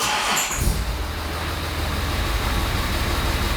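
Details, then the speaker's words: Jaguar E-Type after a service: smooth, even low idle with no chain rattle or ticking, much quieter than before. Normal idle. "but I say the engine's just you know it's just running as sweet as a nut now it's really um it's got a really"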